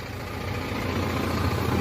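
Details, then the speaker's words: Power steering pump just reassembled after it had been noisy when the wheel was turned; now a steady low engine idle with no whine or groan while steering, the wheel is light with no catching, and the pump is quiet and healthy. "Oh, lambot na oh. Oh. Lambot na ng manibela, wala nang sabit. Goods na, wala nang ingay dun sa loob."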